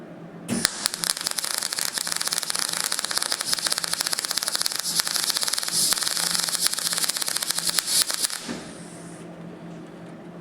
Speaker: so here by that wire speed's a little bit low so i'll have to uh amend it so i'll give the wire speed up a little bit